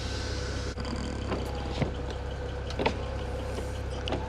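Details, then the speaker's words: 2008 BMW 335i (E90), 158,000 miles, original window seals: after the rubber seal is wiped with silicone lubricant, the window motor hums smoothly and evenly with no dragging or squeal. It was sticking before and now moves freely, normal operation. "see before it was kind of sticking now it's not uh that you know different seasons it could stick up through here uh different weather conditions"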